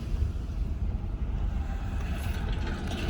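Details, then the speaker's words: 2007 Honda Civic sedan parked after a test drive, following a refill of the low power steering fluid with Honda fluid. Low, even engine rumble with some wind and no whine or squeal; the earlier whining is gone. "I drove the car for a little bit and now I'm parked and so far there's no whining sound so filling up the power steering fluid definitely did help fix that issue"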